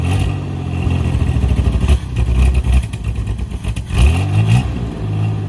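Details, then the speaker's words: 1983 Chevy Camaro abandoned 15 years, exhaust cut off behind the cat. Engine surges and stumbles, revs rising and sagging unevenly with clatter, then cuts out. Suspected vacuum leaks and debris sucked into the electronically adjustable-jet carburetor. "He's not wanting to run right at all. No, it's probably because of all our vacuum leaks and All the junk we sucked into the carburetor."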